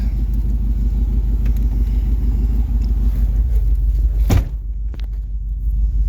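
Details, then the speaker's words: Suburban at idle: deep, lumpy rumble with an uneven beat, occasional stumbles and a thump; rough-running misfire present since it was driven here, plus a bad exhaust leak that has worsened. "definely running a little rough but it's had a Miss since my grandpa drove it here it's got a bad exhaust leak"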